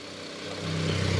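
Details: Mitsubishi Xpander for sale, idling with oil filler cap off: steady even hum, gentle low pulse, no knocks or ticks; oil spatters from filler opening, buyer's mechanic called it blowby.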